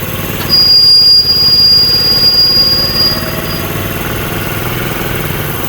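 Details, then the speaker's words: Honda CD70 motorcycle after chain lock replacement, running in gear with brake applied for load: steady engine, no chain clicking or knocking; lock noise gone, chain itself fine. "तो यहां पे हमारी चैन की आवाज बिल्कुल ठीक हो गई है। चैन लॉक तब्दील करने की वजह से ही हमारी जो लॉक की आवाज थी वो खत्म हो गई है। तो चैन में मसला नहीं है।"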